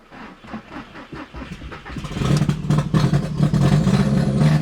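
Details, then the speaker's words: 2000 Audi TT first start after sitting about 7 years, fresh oil change, charged battery: hesitant uneven firing catches and rises to a lumpy held-up idle on throttle; hard idling, owner suspects bad old gas. "Alright, so it's having a really hard time idling right now. That's probably because there's a lot of bad gas in there and it"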